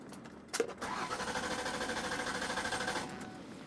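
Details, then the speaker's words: Mercury Sable cranking but not starting: even cranking pulses, about three a second, with good compression, never fires. The cause was a failed in-tank fuel pump, later replaced. "it sounds like it has compression so we're gonna have to chase spark and fuel"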